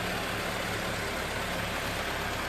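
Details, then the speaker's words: Toyota AE86 at idle after an O-ring leak fix, fan and shroud not fitted: steady, smooth, even idle with no knocks, ticks or stumbles; the engine is running well. "so not used to the fame and glory. Sounding smooth. Yep."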